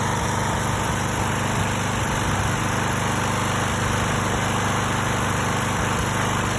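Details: Stiga Pro 48 mower with Briggs & Stratton single-cylinder, new tank, air filter and spark plug, carburetor cleaned with refurbish kit: uneven stumbling beat with skipped firing pulses, persistent misfire, cause not found.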